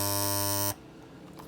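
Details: Andis T-Outliner trimmer during a silencing adjustment: loud, harsh electric buzz at a steady pitch, cut off in under a second; still buzzing excessively, cause unconfirmed.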